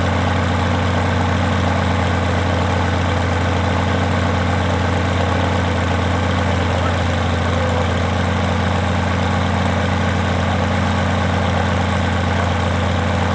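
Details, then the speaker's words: Rotec R2800 radial engine on an Aerolab LoCamp prototype airplane, first start after long-term storage and reassembly, fuel pump on: deep, even drone with a steady firing beat, no misses or stumbles; normal, healthy running. "Sounds great. Wasn't that something? After all these years of sitting and never having the thing done with it?"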